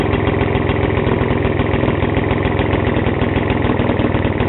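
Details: Vintage Atco Standard 24-inch mower, first start after 20 years' storage, freed from seizure and given spark: small engine chugs at idle with sharp raspy puffing each firing stroke; exhaust leaking and needs repair.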